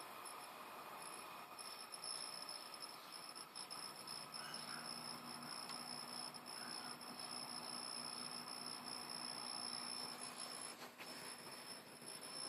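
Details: PlayStation 3 fat console: a thin, steady high-pitched whine over a soft hiss, with the internal source undetermined.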